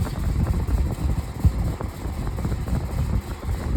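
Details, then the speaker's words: Large fan with a big motor: heavy low drone with uneven pulsing rattle at speed, caused by out-of-balance blades; quiet otherwise and moves a lot of air. "You can hear how quiet it is and how much air is blowing. Just that it's rattling is how out of balance it is."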